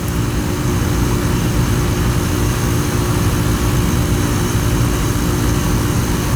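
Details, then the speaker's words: Older Goodman 410A AC system icing up: steady low compressor drone with hum and even fan rush; unit runs but is low on refrigerant charge and icing, gas to be added for now before replacement. "definitely going to add some gas to it it's going to ice up like that"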